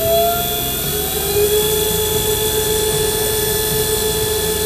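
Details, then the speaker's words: Nova Comet II wood lathe with a DC motor and electronic variable speed, middle belt setting, turned up to top speed: smooth, steady high whine that settles after a brief pitch change, no roughness; normal motor running. "as high as it will go on this Middle Belt setting and this is as low as it will go"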